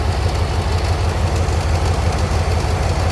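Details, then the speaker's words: 2003 Dodge Ram 1500 5.7 Hemi at idle: steady clicking about three per second from the serpentine belt area once the AC compressor engages. Owner suspects a loose belt or faulty tensioner; both to be replaced. "when I turn on the AC compressor. That's most likely due to a loose belt or a faulty tensioner."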